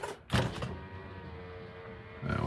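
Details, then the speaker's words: Honda Element with ignition on, after a door wiring harness repair of broken wires: clean, even power window motor hum with no grinding or binding; window works normally, though the battery may need charging. "sounds like the battery needs charging but that looks fixed to me"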